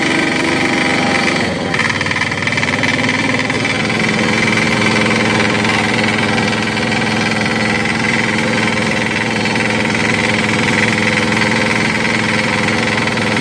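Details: Crown CDP 80 3-inch diesel water pump, filled with diesel, oil and priming water, decompressor released: steady even hammering with no misses or knocks; healthy, strong running.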